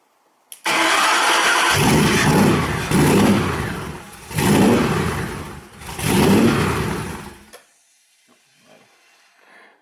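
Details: Cobra engine's first start; engine catches, surges up and sags in three uneven waves, never settles into an idle, then dies. Owner suspects the idle control loop needs work. Unstable idle after start.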